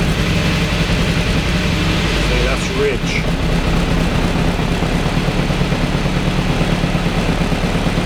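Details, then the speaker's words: Mk1 Austin Mini with an Arden 8-port head, cold start on a hot day while refining the cold-start fuel map: it fires and runs unevenly, rising and sagging. It only stays running on the throttle. "okay so that went where you didn't want to run just on the throttle anyway so I'll do some tweaks and we'll try again"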